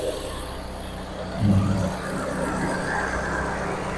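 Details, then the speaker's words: Car previously overheating, repaired with the oil flushed of water, after hundreds of km: freshly started, the temperature stays below half and steady. Soft, smooth idle hum with a brief light blip and no whistle or rattle. "Ni baru start, dia tak sampai separuh, dia maintain lah. Enjin pun bunyi lembut."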